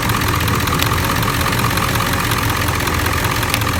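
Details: 7.3L Powerstroke diesel V8 at idle: lumpy, uneven low rumble as bank 1 injectors intermittently drop out; an electrical short or poor connection at the under-valve-cover harness is suspected, not confirmed.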